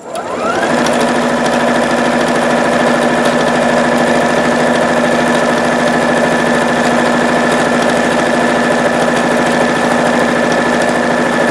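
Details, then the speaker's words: Singer Futura Quintet sewing machine after fitting a replacement bobbin case and plate cover: smooth steady whir with even fast stitch rhythm; the earlier rattling bobbin noise is gone. "There we go. And the way I put it in, watch my video on bobbin noise fix. And now it's working fine. No more of that noise which you heard earlier."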